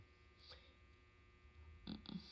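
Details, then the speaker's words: Impressions vanity mirror lights: faint steady low electrical buzzing hum under room sound throughout, cause unknown to the owner, who hasn't fixed it. "if you have a vanity and your light sound like mine like you hear that buzzing noise and you fixed it what did you do because I don't know what to do like I hate that buzzing noise"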